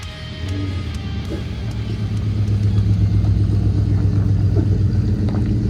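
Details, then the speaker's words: Ford LTD/Fairlane exhaust after the blown-out old muffler was replaced with a new DIY-welded Kuluin muffler. Deep V8 burble rises with revs, with no rattles, blows or ticking. The new muffler sounds good but slightly hollow until it carbons up and deepens. "Muffler sounds really good for now. Obviously, new mufflers do take a little while to sort of wear in. They need to carbon up and they will sort of deepen out."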